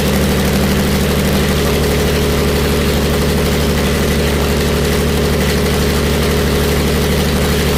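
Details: Jaguar E-Type 2+2 six-cylinder under restoration, running with no exhaust fitted: loud, raw open-pipe idle with a steady low beat and no dropouts; sounds like it is running evenly on all six cylinders.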